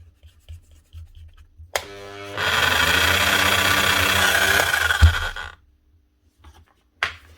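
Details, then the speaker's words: Bosch GSH 5 CE chipping hammer from 2022, burnt motor after being serviced and incorrectly assembled, running hot and smelling bad; rough, scratchy motor roar with uneven chatter for about three seconds then running down, armature badly burnt out. "Sounds bad, and again, smells bad. That is an armature too, and quite badly gone too."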